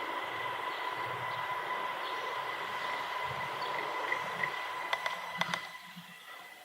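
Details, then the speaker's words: Thin steady high tone at exactly 2001 Hz over faint background rumble, recorded with the onboard mic near the open garage door. They think the garage door acts as an amplifier only this microphone picks up; cause not yet known. "it happens to be that my garage door somehow acts as a frequency amplifier that only this microphone picks up and it happens to be exactly 2001 Hertz"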